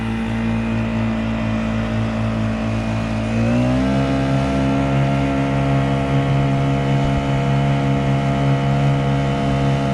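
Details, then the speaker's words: Honda GX50 50cc powerhead outboard with 2-blade prop on a Nucanoe Pursuit kayak, wide open throttle about 6.2 mph, loaded in a turn: steady buzzing drone climbs slightly then holds firm, no stumbling; doesn't lose rpm. "And I am literally turning wide open. Beautiful. That motor doesn't even think about losing RPM."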